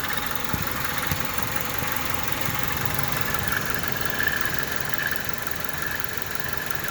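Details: 1998 Honda Civic at idle, faint uneven rattle with a light whirring tone from the alternator area; owner unsure whether alternator or its pulley; worsening since last summer, horrendous rattle uphill or under load, less in neutral; rattle at idle.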